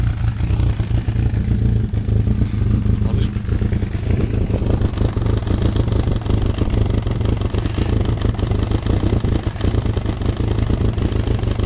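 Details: Freshly rebuilt Thunderace engine at initial start-up, oil double-checked, water leaks still present: a steady, even low burble at tickover with no knocks or misses. Normal, healthy idle.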